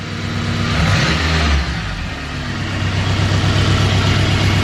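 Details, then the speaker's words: Honda Civic EK hatch with turbocharged K20, 11.5:1 compression, old gas, hot 99°F day, after boost was turned up. Idle hunts and stumbles with a lumpy beat and vacuum down from 20 to 18 inches. Suspected weak cylinder, possibly piston, not valve. "you hear that it's not a deadness but it's not right it's got a weak cylinder"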